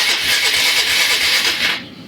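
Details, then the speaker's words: 1996 Polaris Marauder 425 4x4, liquid-cooled four-stroke, neglected: a steady high starter whir runs under two seconds even with the key off. Owner suspects a wiring fault, possibly the ignition key; not confirmed. "She makes noise. Let's try this again. Key off. And she's still making noise, which tells me that there's something in the wiring that is off."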